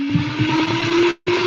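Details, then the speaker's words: Master Airbrush paint booth's original exhaust fan, to be replaced by a quieter Noctua NF-F12: loud, steady hum with a clear mid tone creeping up slightly as it spins up; moves plenty of air but is very noisy. "It's going to be really loud, so watch your ears. So as I turn this on, you can hear the difference between the two fans."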